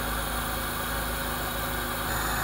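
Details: All New Corolla (AE) with a new IACV, engine hot with the radiator fan running, idle set to 800-900 rpm: steady, even hum with no hunting, surging or misfires; idle runs smoothly.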